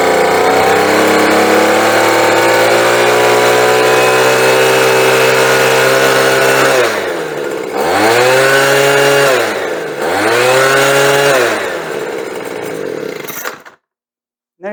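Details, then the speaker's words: Bolens leaf blower after new fuel and carburetor adjustment, high-side screw richened to cure a wide-open stutter: long, steady high-pitched wail at full throttle with no stutter, then two clean drops and rises before shutoff; smooth full-throttle running. "then I gave it a little bit more fuel on the high side has smooth down well that's about it for this blower looks like she's ready to go"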